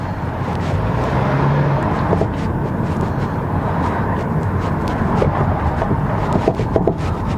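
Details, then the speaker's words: 2007 Kia Rondo driving: dull irregular clunks from the front over road rumble, traced to a worn front stabilizer bar link. "complain of this car it has a clunking sounds oh yeah there is you hear it"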